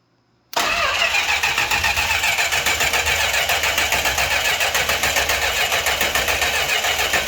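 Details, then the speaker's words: 1968 Chrysler Newport Custom with a newly installed Holley Sniper EFI and Hyperspark ignition (MAP reading 99 kPa): the starter cranks steadily at about three or four turns a second with a crank signal, but no fire; crank, no start. "dude we got crank signal that no fire in the pipes yet though let's hit her once more"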